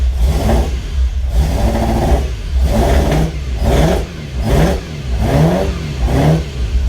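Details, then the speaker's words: Ferrari 308 after engine rebuild, new coils fitted: rough, uneven revving rising and falling about once a second, well down on power, not running on all cylinders; misfire cause still unknown. "It is running, but I don't think it's running on all the cylinders."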